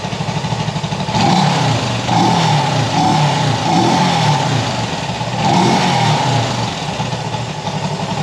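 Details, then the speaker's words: Honda CB360 twin with an intermittent blinker fault: idles and revs unevenly, beat stumbling as one cylinder drops out now and then; intermittent misfire, owner suspects the coil. "old ear you know says that's that sounds pretty good you can hear when one cylinder is down though"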